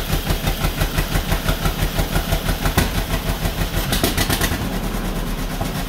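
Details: 1949 John Deere B two-cylinder, first start after engine rebuild: slow, uneven thumping, about three beats a second, faltering then smoothing partway; rough running with vibration, parked on a slant, possibly running out of fuel; cause unclear.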